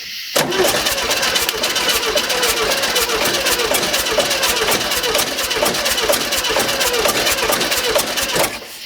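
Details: 1971 VW early bay bus with starting problems, new carburetor just fitted, fuel filter refilling, throttle cable not returning well: rapid steady cranking chatter for about eight seconds with no clear catch; cranking, start not confirmed.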